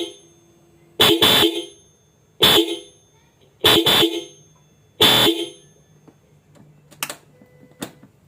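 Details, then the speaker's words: Hella Classic double-disc horns installed on a Yamaha All New NMAX: four short, loud two-tone blasts with clean, steady pitch and quick cutoffs; stereo left and right, more car-like than the stock single horn. Working properly. "Jadi suaranya stereo, antara kiri dan kanan. Dibandingkan dengan klakson standar, yang ini jauh lebih berwibawa, lebih keren, bisa dibilang begitu ."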